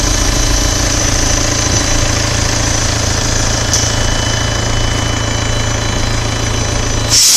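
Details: 2013 VW Passat TDI SEL diesel at smooth idle: steady low constant hum with even pitch from the exhaust throttle valve; owner asks whether it is normal, cause unknown.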